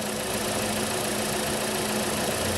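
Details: Holden/Chevy Cruze 1.8 F18D4 idling after a head gasket replacement for coolant in the oil, a pressurised cooling system and a misfire. It is warming up with some smoke and steam off the engine and exhaust, expected from leftover coolant. A steady, even idle with a light hiss and no knocks or misses.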